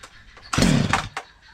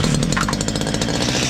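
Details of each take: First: Stihl MS 230 chainsaw, owner complained of terrible noise, after tightening slightly loose exhaust; starts and holds steady even buzz, revs cleanly up and down, no rattle; only clutch drum washer play remains, normal. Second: Stihl MS 230 chainsaw, warm, compression good and piston free: steady high revs with a buzzy chattering rattle near the front of the exhaust, like a small loose part; exhaust nuts tight, cause not yet confirmed.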